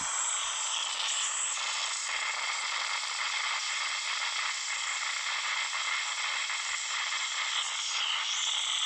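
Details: Samsung Note 9 phone speaker randomly produces a continuous harsh static hiss with faint rapid crackles, no low end, while playing audio; only a phone reboot stops it.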